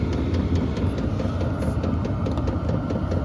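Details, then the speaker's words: HCalory compact tool box 2 diesel heater, first startup on Bluetti AC180, cold day; on H4 going hot, pump ticking really fast under steady low burner and fan roar, some smoke; normal running at high setting. "Now it's at 22, and yeah, you can smell the smoke too. It's going hot. It's pumping really fast now."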